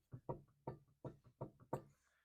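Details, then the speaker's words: 2004 Pontiac Grand Prix GTP on jack stands, front wheel rocked by hand: dull back-and-forth clunks from play in a worn, internally loose wheel bearing. "the wheel actually moving and you can hear that clunking back and forth so that tells me this wheel bearing is shot it's loose internally and that's where the play is coming from"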